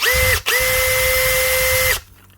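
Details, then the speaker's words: Makita DHP483 18V compact drill after a new 604 bearing and grease, with the worn chuck not yet replaced: a clean, steady whine, a brief stop and restart, then an even pitch with no grinding or rattle, now quiet and healthy. "And now, what does she sound like? Aha! Was that little bearing, or just the grease? What a difference, eh?"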